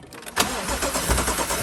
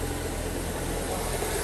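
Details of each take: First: BMW M135i after full engine rebuild following seizure from oil loss (crank journals ground), first cold start attempt: starter churns in even slow pulses about five seconds without firing, fuel not yet primed through to the engine. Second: BMW M135i after full engine rebuild following seizure, parked at workshop before test drive: steady even idle hum, smooth low drone, no stumbles, skips or misfiring; idling cleanly.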